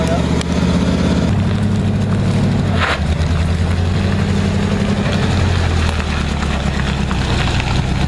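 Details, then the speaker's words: 1959 Chevy Viking 60 tow truck, just revived after about 12 years sitting, engine electrics reworked: deep, steady small-block V8 rumble idling evenly, no knocking or misfire; normal idle. "up hold up it's alive so got another one running"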